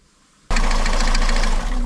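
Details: Car after a variator/gearbox replacement: starts and runs with a dull irregular metallic knock under a rough idle. Suspected to be something striking the flywheel teeth, later traced to a missing plate between gearbox and engine.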